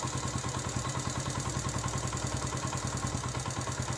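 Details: 2006 basic model single-cylinder motorbike after work: steady thump of a few beats per second, no knocks or rattles on top; healthy, settled idle before switch-off. Normal idle.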